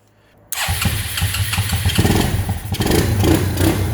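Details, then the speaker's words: Quadrunner ATV-to-buggy build, engine very cold, first start of the day, no air box connected: catches instantly after a brief pause and settles into a steady, slightly lumpy idle. Normal cold start. "There we go. There we go. There's no air, there's no connection to the air box. As you can hear, it revs right up. Very cold, too cold."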